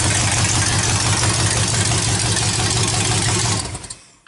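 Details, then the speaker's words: 1931 Ford Coupe hot rod after a swap from big block to a stock 305 small block from a truck, on open headers with no exhaust yet: very loud, deep lumpy rumble with steady firing pulses, then shutoff; healthy idle. "Just a 305 small block, nothing special as far as I know. It's just a stock motor out of a truck. To me it sounds pretty crazy though."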